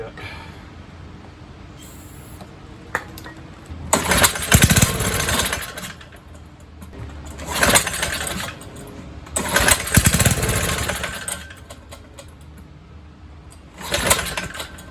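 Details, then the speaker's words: 1970s trike, believed MTD Mud Bug, with replacement John Deere ~5 hp engine, sat 5–10 years, plug cleaned, carb cleaner sprayed in; catches and roars a second or two then dies each time; fuel starvation, runs only on starting fluid. "Oh, clearly, yeah. Running off the spray."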